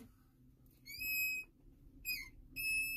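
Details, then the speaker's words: Ford F550, pedal pressed hard: three loud, high whistling squeals like a child screaming under the dash, from the vacuum brake booster leaking vacuum at its plunger. "this has what's known as vacuum boost brake assist and when you push in the pedal it pushes in that plunger but if we have a leak here that slight hissing sound and i push really hard let's see if i can do it there we go we start leaking vacuum and it cau"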